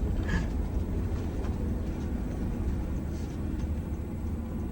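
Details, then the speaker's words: Bus coasting after a brake job: low even road rumble, no growl rising with speed; the previous loud wheel bearing growl is gone, wheel bearings sound normal. "The wheel bearing noise is gone. The growl is gone. I wish you could have heard it."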